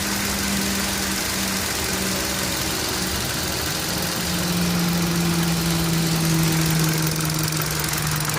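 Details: Engine at a steady idle with a light, fairly even tick of about three to four a second riding over the hum. Source of the tick unclear; engine ticking.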